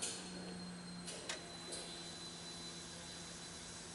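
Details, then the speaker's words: Mercury Sable after fuel pump and filter replacement (tank dropped, ~5 gallons added): new pump primes at key-on with a steady hum, drawing 2.3 A and pressure rising to about 40 PSI, versus 12.8 A draw before; normal prime. "you should hear the fuel pump kick on when we make contact 2.3 amp you hear the pump pressure is going up"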